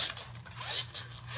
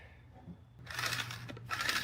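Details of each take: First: Razor Black Label E90 scooter, new warranty replacement hub motor spun by hand after the old one's bearings failed: light, even whir with no grinding or clicking; bearings turn freely. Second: Razor Black Label E90 scooter hub motor spun by hand: rough, gritty scraping bursts over a faint hum; bearings suspected shot, hub motor replaced under warranty.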